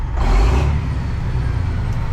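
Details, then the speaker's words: Kenworth cabover diesel under restoration, warm, after whatever was wrong spit itself out. Deep rumble swells cleanly on a throttle blip, then settles to a steady idle, smooth; Jake brake still not working. Normal running. "I just needed to work the cobwebs out. Listen to that. Smooth as butter."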